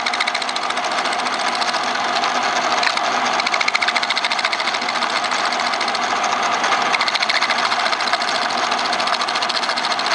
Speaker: That's the sound you get when you got a piece that moves under the tool. And frankly, my old machine here has a problem. It needs a new sheave where the spindle is attached to the driving mechanism.